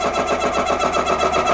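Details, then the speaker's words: ReadyAir personal airgun compressor filling a gun with the bleed valve shut: fast, even pumping pulse of about eight strokes a second with a steady motor hum as the extra cooling fans kick on; working smoothly under load. "Start my timer. The additional fans just kicked on. You can probably hear it."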